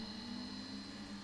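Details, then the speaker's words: Variable speed series and parallel pumps bench-top test set with the pumps up to speed in parallel: a steady, even hum with a constant tone and a faint high whine, no knocks or rattles. Normal running. "we go we're up to speed okay good stuff"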